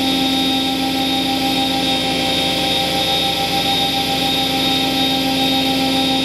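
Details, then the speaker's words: Charnwood W824P midi lathe running at max speed after control module replacement (it previously slowed under load below 300 rpm and died); steady high-pitched whine, slight waver, holding its revs; normal running at max speed. "all right we seem to be fluctuating a little bit but nothing too bad it's holding its revs or below so that's the bonus"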